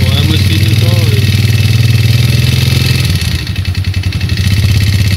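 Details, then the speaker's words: 2008 Yamaha Jupiter Z: rough idle with loud, uneven knocking about four beats a second over the exhaust; engine knock. "Suara mesinnya coy mengerikan."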